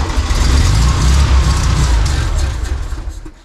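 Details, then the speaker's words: 1952 VW barn door ambulance, 25hp motor. An even, heavy crank at about three and a half beats a second never catches, because no fuel reaches the pump. The petcock's non-fuel-rated rubber crumbled into powder and blocked its holes; correct rubber ordered. "So what happened is the rubber completely fell apart into this powder. And of course it blocked up all the holes and there was no fuel getting through at all."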